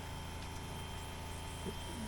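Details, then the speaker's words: 1979 Porsche 924 under restoration, engine off, electric fuel pump hot-wired straight to the battery for a warm-up regulator pressure check: faint constant hum with a thin steady tone from the rear; pump running normally. "you can hear the fuel pump running right can you hear that it's back there running"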